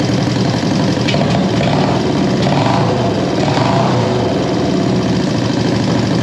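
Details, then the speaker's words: 1973 Honda CB350G twin just after Mikuni VM28 carb kit install: steady, even idle with a slightly uneven edge; sounds pretty good, carbs need a little tweaking once fuel flow settled. "so so sounds pretty good sounds pretty good let's hit it again"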